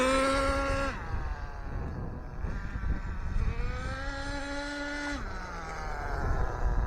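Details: ACME Condor 4WD nitro RC buggy on its maiden run after a rebuild, engine not very hot and low on fuel: the tiny engine screams up and sags back unevenly, burbling and slow to clean out, still smoking. The mixture is still too rich, though better than before.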